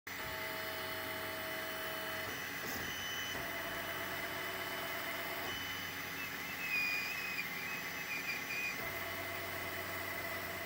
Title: Squeaking Sound on 3D Printer